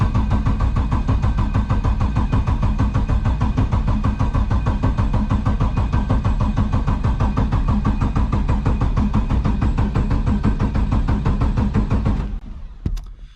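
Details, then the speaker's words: LS7 V8 in S14 competition car, not started in about 3 months, freshly serviced: steady starter churn about three beats a second for twelve seconds with ignition off, no firing; cranking to build oil pressure. "Right, let's hope she runs. I'm just going to crank it for a bit with no ignition."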